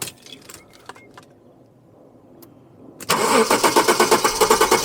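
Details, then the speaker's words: 1995/96 Jaguar XJ6 X300, sat abandoned five years with a noisy diff, fresh battery and fluids checked: starts quickly into a steady even idle with oil pressure, sounds healthy. "But that sounds really nice. We have oil pressure in here and I think it sounds really decent."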